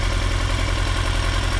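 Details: 2003 Yamaha R6, 35,000 miles, BMC filter, Yoshimura exhaust, idle set 1350 rpm: lumpy V-twin-like idle, worst at 2-3k rpm, with random rpm jumps, runs fine riding; misfire fixed by replacing ignition coils.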